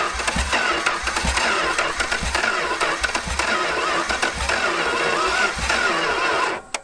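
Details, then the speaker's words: 289 engine fed carb cleaner into the intake: starter cranks while the engine catches in uneven, ragged bursts and dies out, needing more fuel or choke. "oh it sounds like an engine now at least oh dude dude here it goes yeah it's going to do it"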